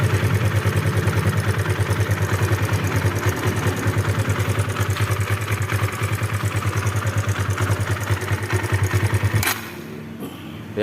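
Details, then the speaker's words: Kawasaki KLX 150, fairly new from dealer, idling rough with fast "kletek-kletek" ticking clatter over the single-cylinder beat; loose cam chain suspected, cam chain and valve clearance to be checked. "ya suaranya seperti itu suaranya kletek-kletek kita akan Cek nanti setelan keteng sama setelan klepnya"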